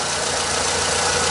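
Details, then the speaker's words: Car AC compressor heard from under the car at idle after a repair; an even, airy whir with no rubbing, scraping or rattle: normal AC compressor operation. "que é bonito ó tá vendo ali não tá fazendo barulho não tá fazendo nada"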